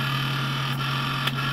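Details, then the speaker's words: Ultimaker 3D printer stock stepper-driver cooling board fan, 86 dB: steady whining squeal over the fan hum at constant pitch; bearings suspected bad or worn, replaced by two quieter 50 mm fans at 67 dB. "mine i think had bad bearings or they wore out or something was going on and it just squealed like a stuck pick"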